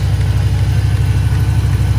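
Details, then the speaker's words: Range Rover P38 air suspension (EAS) with freshly rebuilt valve block near standard height, tank down to about 110 psi: valves adjusting to level the car, then a deep, steady compressor hum with a quick regular pulse, no rattle or strain; normal. "see the compressor's stopped you can hear the valves adjusting to level the car compressor will start again in a second"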